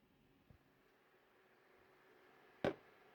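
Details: NVidia GTX 1660 Ti 6GB after fixing GPU sag, the cause of its grinding coil whine: near-silent card with only faint room hiss and a couple of soft clicks, no grinding or whine.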